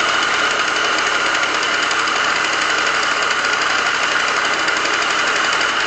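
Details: Yamaha Aerox scooter, noise suspected from variator: harsh metallic rattle and knock steadily over buzzy idle, deeper than variator noise. Worn crankshaft bearings.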